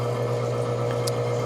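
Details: Manitowoc undercounter ice machine, service call for no ice with the red wrench fault: loud steady low hum and a fainter drone from the failing condenser fan motor, which turns intermittently and unevenly. This causes high head pressure and compressor shutoff.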